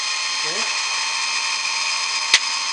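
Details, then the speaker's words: Steady high-pitched grinding hiss with a faint motor hum and one brief sharp tick. This homemade automatic bandsaw blade sharpener, driven by a 16 rpm DC motor with an improved cam, is grinding an old welded, Dremel-sharpened blade in its normal cycle. "if you want to know some specifics the little DC motor in here is a 16 rpm I'll shut up now for a couple of minutes"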